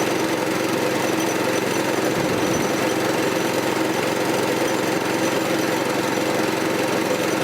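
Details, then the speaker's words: Troy-Bilt tiller repowered with a 6.5 HP 212cc Predator engine, after replacing a bad spark plug that gave no spark: the engine chugs at a constant, even speed with no misses; normal running. "Sounds like it's running fine. We'll go with that spark plug for now."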